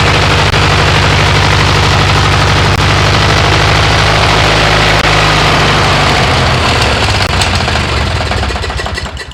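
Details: MTD riding mower twin-cylinder engine after replacing one head gasket and swapping the aluminum woodruff key for a steel one: pops along loud and steady at a fast even beat, then winds down at shutoff; runs healthy, burning off oil and mouse debris.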